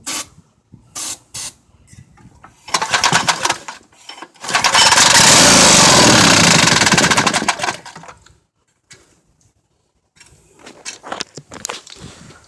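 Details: Golf cart build's newly mounted small engine on its first test run fires, revs loud and uneven for a few seconds, then quits; runs rough, and the carburetor is described as running bad.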